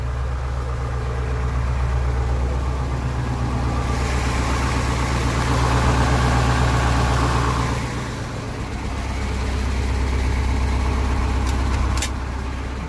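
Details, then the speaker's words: Detroit 8.2L diesel truck warming up at idle, loaded with logs, suddenly smoking and losing power: deep fairly even idle with recurring uneven beat near 160 per minute, suspected cylinder misfire, not yet confirmed. "says it's been great up until I believe it was yesterday morning it started smoking losing power and he said it sounded like it was misfiring"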